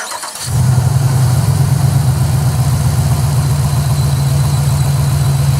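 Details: 2006 Chevrolet Impala SS, LS4 5.3L V8, 4T65E-HD, 69,000 miles, codes P0118, P0300, P0307; engine catches and settles into an uneven, stumbling low idle rumble, audible misfire. Engine misfire.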